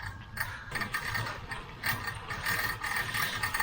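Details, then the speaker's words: Bicycle ridden on a trail on a hot day: a quick, uneven metallic chatter repeats with each bump. The rider suspects a loose screw in the rear rack holding the bag. "can you guys hear that rattling yeah I think it's actually my uh the back cage that's holding up my uh my bag so I'm going to have to stop and check it out"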